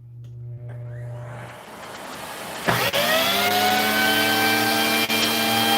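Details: Vacuum cleaner with the suspect wand part bypassed, head connected straight to the hose: the motor spins up to a steady high whine and holds with no surging or cutting out under pushing. Normal running; the bypassed part is suspected as the fault.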